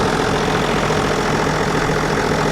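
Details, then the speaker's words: John Deere 7420 idling after Stanadyne DE10 injection pump replacement for ECU 1076 fault, leak underneath fixed and no longer dripping: steady, even diesel idle with smooth low rumble, no knocks, misses or hunting; normal, repair done. "Well, click test shows that it's working pretty nice. That's perfect."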